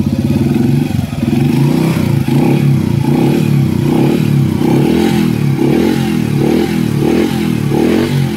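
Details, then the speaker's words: Engine after the timing chain tensioner is refilled with oil: revs then settles to a steady even beat, chain rattle gone, timing chain tension now good. "At yan, tahimik na ulit, nawala na yung aligas-gas na tunog ng makina. Goods na yung tension ng timing chain."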